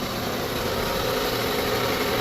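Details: Proton Persona that would not start on an empty battery, now jump-started with a power bank jumper after long parking: steady, even idle hum with no knocks, ticks or misses; running smoothly.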